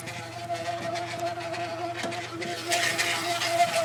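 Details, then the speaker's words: Honda Prelude, engine running, after a second, used power steering pump and a fluid flush: steady mid-pitched whine over the engine from the power steering pump; possible leaks suggested, cause unknown. "hopefully, if you can hear the sound from the power steering pump, this is what's going on."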